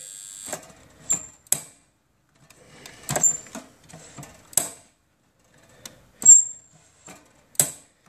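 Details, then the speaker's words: Statim 2000 benchtop steriliser powered up after the solenoid valve core was refitted: crisp, irregular solenoid clicks, some with a brief hiss, working normally. "switch it on we've got power and we can hear that solenoids clicking eat it nice"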